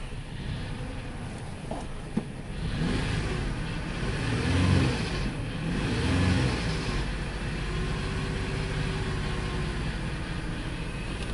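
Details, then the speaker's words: 2002 Ford Explorer that cranked but wouldn't start, now running: rough, uneven petrol idle with a lumpy stumbling beat, throttle blips and smoke; bad misfire, scan shows lean, suspected fuel pressure or delivery problem, unconfirmed. "This thing got a misfire, a very bad misfire."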